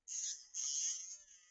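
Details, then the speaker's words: Model train locomotive motor on test leads clipped with alligator clips: high thin whine revving up and down unevenly; owner thinks it is just wiggling/poor clip contact, not a motor fault, as holding it steady stops the surging. "I can hear the motor revving up and down, but I think that's just because we've got a mechanical connection."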